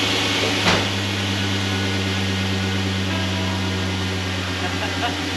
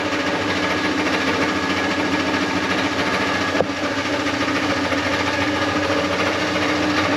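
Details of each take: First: LS-swapped V8 idling after a new flex plate and tightened torque converter bolts: smooth steady low hum, no ticking or rattling from the flex plate area. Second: LS-swapped truck V8 idling with an uneven chattering kick from underneath, felt as shake in motor and drivetrain; owner thinks flex plate bolts were loose, bolt holes ovaled out.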